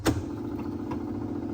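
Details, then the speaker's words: Sony TC-250 reel-to-reel tape recorder from 1966 after installing a new motor run capacitor: click then a steady even hum with no wow or knocking, running at 3¾ and 7½ ips; still a bit noisy, owner plans to oil it. "Yep, it's finally running perfectly with a new motor run cap."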